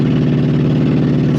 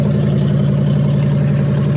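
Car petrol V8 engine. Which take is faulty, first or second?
first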